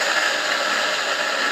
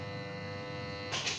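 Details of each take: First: Electric water pump motor that had hummed without turning, after sanding and bearing replacement, plugged in: smooth steady whir that gradually eases off with no stalled buzzing; it now spins freely and runs normally. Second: Electric water pump motor powered but not spinning: steady electrical hum/buzz, rotor locked and rough when turned; cause was a dirty armature, fixed by cleaning.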